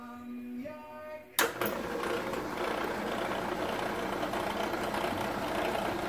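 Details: ACME handsaw vise and filer, switched on during first inspection before clean-up, runs with an uneven rattling clatter instead of a smooth hum. The cause is a pulley missing its set screw.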